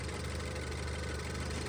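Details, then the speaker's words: Range Rover Evoque petrol engine idling smoothly after replacing the timing chain, oil pump and pulley, tensioner, and cam and intake sprockets, which had rattled at start; steady low hum, no more noises, at 34 degrees. "no more noises everything is working perfectly"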